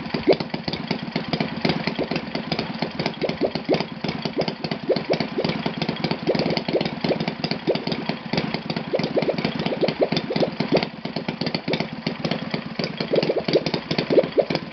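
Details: Enya VT 240 twin model engine on test stand after carb cleaning, valve clearance adjustment and left valves re-lapped, Byron 10% fuel, 20x8 Master Airscrew prop: fast, crisp, unbroken firing from both cylinders, no misses or sag, running clean.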